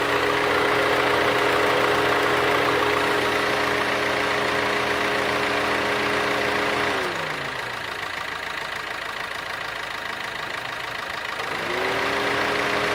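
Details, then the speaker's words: Maruti Suzuki Ciaz diesel, engine started with AC on: even radiator fan whir over idle that winds down, pauses, then spins back up; normal fan cycling, with no clicking or switching noises. "so that's it that was a radiator fan noise and this was a blower speed noise no additional noises made by curve"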